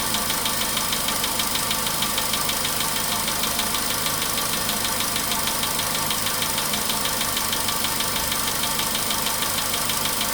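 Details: VW Polo Sedan, 99,329 km, idle warming after cold start: regular light knock about two per second, knocking less but running heavier; owner thought oil had spread; cause unclear.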